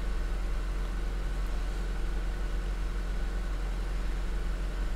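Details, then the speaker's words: 2006 Honda Accord Tourer (7th gen) idling after first spark plug change to NGK plugs; steady, even low rumble with no misses or knocks, running fine with no error codes; normal idle. "O, no i na razie działa. Nie ma błędów poza tym, że jest ręczny i pasy, no bo nie mam pasów."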